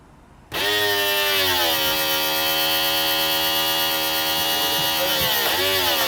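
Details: BMW convertible top hydraulic pump running: steady electric whine holding pitch, dipping briefly twice as the solenoid valve switches fluid direction, then settling again; normal healthy pump operation.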